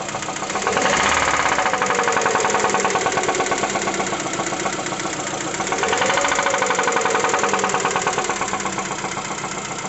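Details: Lada Vesta 1.6 with throttle blips, cylinders checked by pulling one at a time: a sharp metallic knocking quickens with each blip and eases back toward idle; internal engine knock not yet pinned down.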